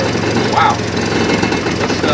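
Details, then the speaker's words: Hard-starting old Jeep started from a portable jump-starter pack with its own battery nearly dead. It cranked fast and now runs with a steady, somewhat rough but continuous engine note and no knock: running normally. "but as you can hear the old jeep is running"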